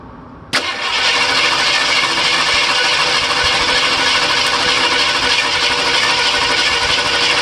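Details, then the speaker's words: Rough, lumpy idle with a stumbling beat on a 302 V8 in a project truck that is also backfiring; the number 4 exhaust valve barely moves, likely a lifter problem, owner hopes not a flat cam; unconfirmed. "Every now and then it does what it wants, but it's barely moving. More than likely a lifter problem, I'm hoping, not just a flat cam."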